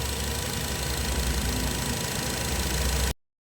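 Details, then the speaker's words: Engine, previously vibrating with code P0304 cylinder 4 misfire and P0420, after repair with no DTCs stored: steady, even idle with no stumble, skipped beat or vibration; all cylinders firing, a healthy idle. "ठीक है। Engine भी बिल्कुल बिल्कुल अभी vibrate नहीं कर रहा। बिल्कुल प्रॉपर है इंजन की तरह। ठीक है? रेस भी स्टेबल है और इंजन भी वाइब्रेट नहीं कर रहा।"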